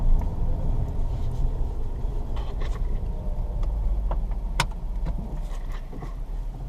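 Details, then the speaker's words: 2005 Ford Escape after fuel filter install: low, smooth steady engine rumble with a few light clicks; warning light no longer on, running cleanly. "But it sounds like it runs good, as you can hear."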